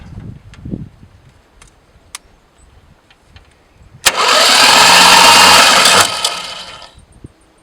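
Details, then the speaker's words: 1973 Duster slant six, sat in a field 20+ years, cranked with all spark plugs out, no compression: two seconds of even, fast starter whir, no banging or scraping; turns over freely. "all the spark plugs are out so there's no compression right now so it is turning over i don't hear any like banging"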